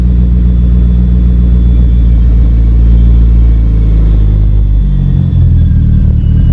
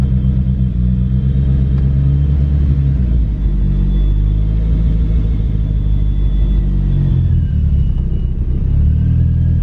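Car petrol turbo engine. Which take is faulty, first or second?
second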